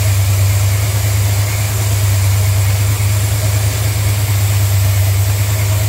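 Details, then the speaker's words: Old Plymouth, cold start, flooding a little: deep, steady but uneven, lumpy idle with no crisp rhythm; rough running traced to the unplugged brake booster vacuum line; vacuum leak. "well she was running rough I imagine you guys were just screaming at the camera that you're very your gasket went flippity flip but then I noticed something that vacuum line there that was going to the brake booster I unplugged it"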